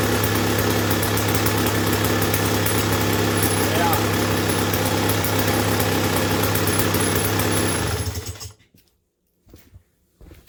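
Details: 1986 Tecate 3 trike, started for the first time in 7+ years with a reportedly fully rebuilt engine: a steady, even two-stroke idle at constant pitch with no misses, shut off near eight seconds, a normal, healthy idle.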